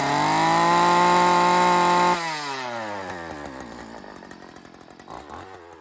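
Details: Homelite weed eater unused in a shed for over 10 years, after cleaning, pull-start repair, new parts and carb tweaking: high, steady buzzing rev for two seconds, then cuts and winds down smoothly; normal running.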